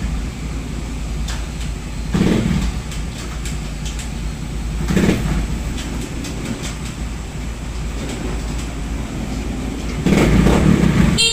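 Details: Raider J110 motorcycle after a wiring repair (two broken wires fixed, rectifier wiring restored to stock): a small single running steadily with three clean, smooth throttle blips. The engine now runs and revs normally.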